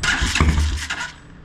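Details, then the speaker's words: Motorcycle after its carburetor was cleaned, started with fuel squirted in: catches for about a second of firing, then fades and dies. Starts on primer fuel then stalls; owner wonders if the carburetor needle is stuck again. "well it lasted longer than before [Music] a little bit of fuel in there"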